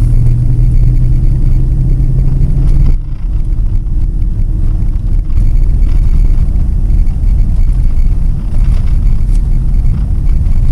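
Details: 2008 Nissan Pathfinder V8 driving at about 70 mph on smooth concrete, tablet microphone, with a Volant Powercore cold-air intake and AEM Filter Minder in a before/after test. Deep, even rumble with road noise, no knocks or rattles, normal engine and intake sound.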